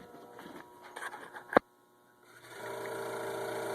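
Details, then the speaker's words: Hot tub recirculating pump motor wired directly with a cord, tub showed "dry" and waterfall didn't work: a few clicks then low steady electrical hum with no spin-up; seized shaft and bad front bearing, motor replaced. "basically I just cut off the end of an old cord shoved it in there and you can hear it hum when I hook it"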